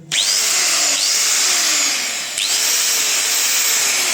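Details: Angle grinder after repair of sputtering running caused by burnt commutator, armature replaced with bearings and gear transferred: high, steady motor whine holding pitch with no popping or stutter; runs normally.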